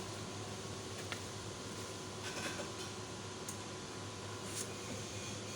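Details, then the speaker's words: Rack-mount 2000 W 48 V low-frequency off-grid inverter UPS without MPPT, AC priority mode, 1000 W heater load, grid outage simulated: steady low hum with fan whirr, even and unchanging. It switches automatically to inverter power without problems. "Oke, langsung di sini secara otomatis berpindah ke inverter ya tanpa ada kendala untuk"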